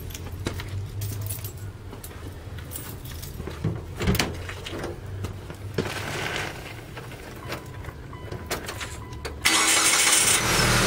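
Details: Mitsubishi Outlander being repaired. Even cranking drags on about nine seconds before the engine catches and runs; excessive cranking noted. Cause unclear.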